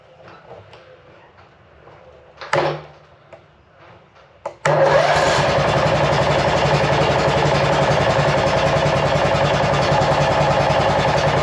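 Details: Cub Cadet RZT 42 zero-turn mower bought cheap with a dead battery: cranks, catches briefly and dies, then restarts into a steady fast chug; will not stay running. Owner suspects a bad key switch or safety wiring, not confirmed.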